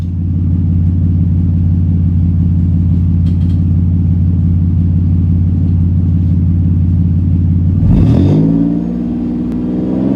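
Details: TacoNook build engine. A deep, even idle rumble, then a quick blip that rises and settles cleanly with no rattles or misses: a healthy engine and exhaust note.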